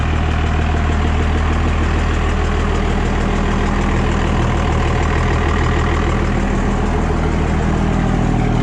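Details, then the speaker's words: Cummins 24-valve diesel pickup just converted to a P-pump, first fire-up: steady, even diesel clatter at settled idle with deep, smooth drone, no misses or knocks; runs pretty good, before fitting 4K governor springs. "guys can tell, the truck does run. It sounds like it's running pretty good."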